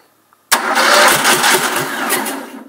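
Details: Two-cylinder engine after spark plug boot fix, spark tester fitted: quick burst of cranking that never catches into a steady run; spins but won't fire.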